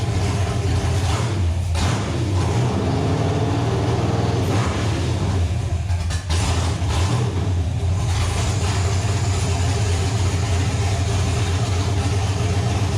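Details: Chevy Nova after about six months of troubleshooting: steady, deep, even running with a couple of brief revs, all cylinders pulling smoothly with no misfire or knock; the engine runs healthy again and the owner now suspects a wiring issue.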